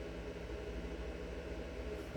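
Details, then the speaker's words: Bluetti AC200MAX power station charging at 480 W input, 40% charge: steady low inverter hum with soft even cooling-fan hiss, no surging or rattles; normal. "This is the inverter here. And I plug that in it. You can hear it humming away. Got a nice little fan in there so it doesn't overheat."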